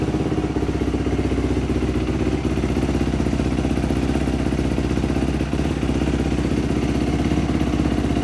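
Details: Dirt bike after a top-end rebuild, fixed after idle speed adjustment restored the fuel squirt; even, rapid popping idle at about four beats a second with no stumbling or dying; normal idle.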